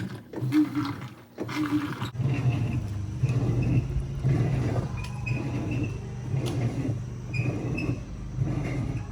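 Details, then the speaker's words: 2011 Whirlpool Cabrio Platinum top-load washer (WTW8200YW0) agitating a large load of towels, deep low roar swelling with each stroke about once a second from worn tub bearings, before bearing and basket drive replacement. "That clip for this was a much larger load of towels, but you could still hear it. The bearings were bad, but it was still moving stuff around."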